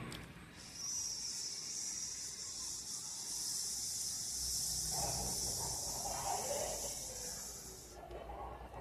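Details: Empty 5-litre pressure cooker after repair with a new rubber gasket, recorded with the camera a little distant: soft, steady high hiss of steam escaping the weight as pressure builds; sealing and venting normally.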